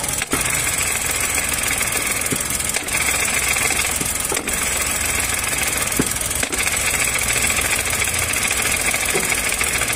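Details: Chevrolet Onix 2022 three-cylinder, Helper clutch fitted under 3 months ago, phone near gearbox: idle metallic rattle changing as clutch is released, clutch fault, not pilot bearing; fixed with original clutch.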